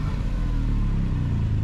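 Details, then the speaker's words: Supercharged Mercedes AMG convertible, long parked, first start on jump box: deep, loud, raw unmuffled roar with heavy low rumble; suspected cut catalytic converters or missing exhaust, not confirmed. "somebody cut the cats on this thing didn't they I think somebody stole the exhaust it sounds like it"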